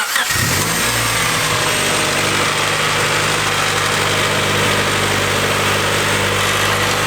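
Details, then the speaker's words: EK Honda Civic with Y7 block and Y8 head swap, diagnostic plug jumped, check engine light on: steady fast idle that won't drop low enough to set base timing, due to vacuum leaks at the valve cover and possibly elsewhere; high idle from vacuum leak. "even in diagnostics mode it won't drop the idle down low enough because the vacuum leaks from the valve cover potentially elsewhere"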